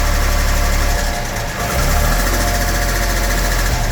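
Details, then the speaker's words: 1975 Jaguar XJ6 Series 2 SWB after a full mechanical rebuild with new valve guides: fast, light, uneven clatter at idle about four per second, a rattly top end; valves are suspected to need re-shimming, and a slight miss is also heard. "Well, the guides have been replaced, everything. So guides have been done. I just wonder why it's a little bit rattly."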